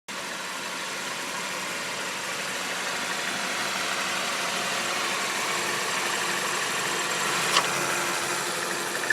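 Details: Buick Encore at idle: hissy high-pitched squeak from belt area, sounding like a bad pulley but continuing seconds after engine stops; stops when dipstick is pulled. Air leaking past the crankshaft seal.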